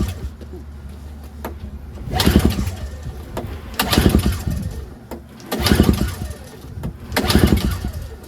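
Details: NOMA 21-inch single-stage snowblower, 4.5 2-stroke, electric start failed so recoil-pulled: repeated pull bursts about every 1.5 s, engine turns but never catches; fuel starvation, varnished clogged carburetor.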